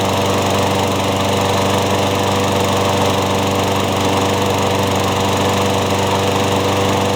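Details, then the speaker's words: Craftsman mower after new piston rings and a replaced blade adapter: steady, even drone at constant speed with no knocks, wobble or vibration surges; runs healthy, no longer burning oil. "I think the craftsman will live on thanks to the engine from the worn-out pool on and some new piston rings so it's pretty good it's not blowing oil burning oil like it did before which is good"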